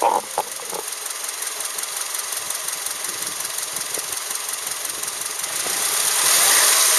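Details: Subaru Outback EJ253 flat-four bought with a damaged engine, before rebuild: fast, fairly even tapping about three per second over a hissy background, internal engine knock.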